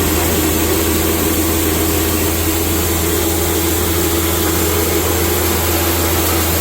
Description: This video demonstrates a grain mill (crinder) grinding grain into a fine, uniform feed.